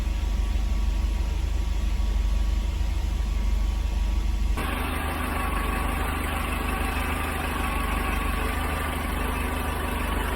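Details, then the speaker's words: Mercedes-Benz 190E (W201) hot idle: radiator fan not turning until coolant nears 100°C, then a click and rushing airflow as the fan clutch engages at exactly 100°C. Normal fan clutch engagement at operating temperature. "Ich habe gerade ein Klicken gehört. Dies ist das Geräusch, das die Kühlerlüfterkupplung macht, wenn sie eingeschaltet wird. Es schaltete sich bei genau 100℃ ein."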